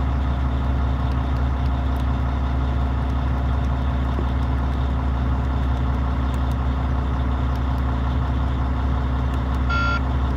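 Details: Volvo FH16-660 truck diesel, 1,150,000 km and 27,250 engine hours, first start after two months, injector sleeves and flywheel replaced, engine never opened: deep, steady idle with an even beat and no knocks or misses; sounds healthy.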